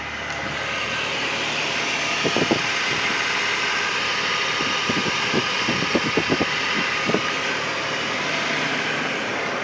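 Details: BMW E39 petrol engine accelerating: steady hiss with scattered uneven knocks, cause unclear; car also has an oil problem.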